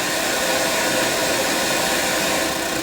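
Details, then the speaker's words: Sony EVS7000: steady hiss with no tone or rhythm, louder with bottom panel removed; static in the audio circuit traced to a leaky tantalum capacitor, to be replaced. "the sound gets louder if i remove the bottom panel almost making it sound like something is it getting interfered with"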